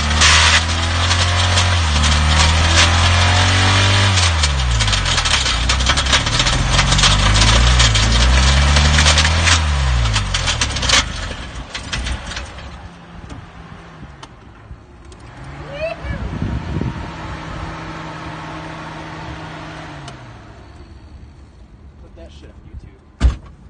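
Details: Subaru petrol engine with a hole in the top of the block: harsh, loud metallic clatter, severe rod knock from a thrown connecting rod; car died on the way to work but restarts.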